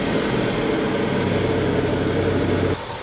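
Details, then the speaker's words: 2011 Land Rover bought non-running with stale fuel, fresh oil and charged battery, on second start: fast ragged machine-gun clatter over a steady idle, suspected timing system fault; one cylinder later shows low compression. "直到下一秒发动机瞬间迸发出如同捷克式轻机枪一般的噪音种种迹象都在表明车辆的正时系统疑似出现问题"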